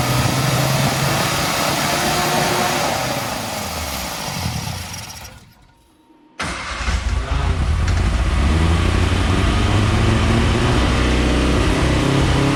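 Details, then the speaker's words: Barn Sprite No. 6 after oil was dropped into the cylinders to raise compression and the plugs were cleaned: it cranks, catches, dies, then restarts running lumpy and uneven. It is hard starting with chokes in use, and the carbs are still due for rebuild. "well that one took a little bit longer than usual to get all the valves cleared so that it would have good compression to fire"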